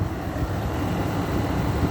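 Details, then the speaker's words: 2009 GE 10,000 BTU window air conditioner (Samsung-made), first start in a year, stiff Broad Ocean fan motor sprayed with WD-40: steady low drone with a rough, gravelly undertone after running smoothly; fan motor bearing noise, back bearing suspected. "that was random it was running nice and smooth and then we just had that loud bearing noise that's probably not a good sign sounds like it's the back bearing"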